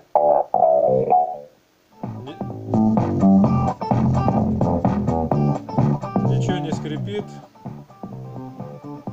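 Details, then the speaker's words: Labtec speaker connected to a PC after repair, where the volume potentiometer and a section of the speaker cable were replaced to cure crackling: music plays full and steady with no crackle or cutting out. "Ну вот, все я собрал, подключил колонку к системнику, включаю звук. Звук идет, регулируется."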